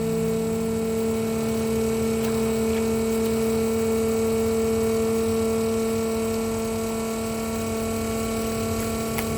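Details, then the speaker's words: RVGUARD 12 V macerator pump emptying RV black tank through about 50 ft of garden hose: steady loud whiny motor hum with nothing gurgling through as the tank empties; running dry, risks burning out the motor. "so you could hear the when it was empty you could hear the way the the engine motor got a lot louder you want to turn it off as soon as you hear that or else you can take chance of burning up your motor on there"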